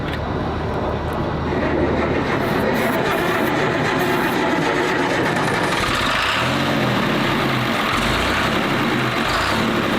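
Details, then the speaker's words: Diesel engine bought at a garage sale, started on ether with jumper cables, dead jump box and no fuel filter: loud, steady running with an even beat and no knocking or misfire; it runs well. "So, this thing actually sounds like it runs really well."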